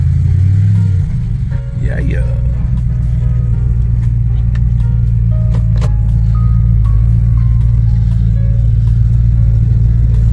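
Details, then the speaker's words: 2006-2010 Jeep Grand Cherokee/Commander driving after new wheel hubs and extended studs were fitted, brakes pumped back up after sitting over a week: steady road rumble with no grinding, humming or clicking from the wheels. The hubs sound healthy. "I get the brakes up to par because they were off, so I had to hit the brakes once or twice. Ooh, I'm not hearing no noises."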